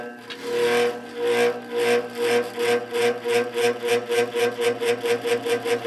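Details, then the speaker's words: 1950s GE F11W3 reversible window ventilator fan, shaded-pole motor rated 2.5 A, before oiling: pulsing hum over a steady tone, beats quickening from about two to four a second during spin-up; bearing feels tight, dry motor suspected. "the motor has allowed a cyclic hum when it's speeding up so hopefully oiling it helps a little bit"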